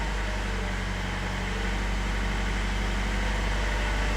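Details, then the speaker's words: Camper with diesel engine, first start after work, held just above 1000 rpm for about 15 seconds to purge air, no leaks found: smooth steady clatter at slightly raised idle, no hunting, surging or cutting out; healthy. "and what we'll do is we'll just keep a few revs on not revving the balls over just let it start first it might cut out it's fine and just a few revs just above 1000 just about there nothing more than that"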